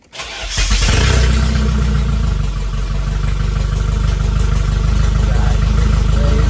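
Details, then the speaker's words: Nissan 240 running a Nissan pickup crankshaft instead of the factory one, first start after the swap with the cooling system removed: cranks, catches within a second and settles into a steady, even idle with no knocks or misses. Healthy. "Just a little sneak peek of what's going on, and yeah, she is running. She is running."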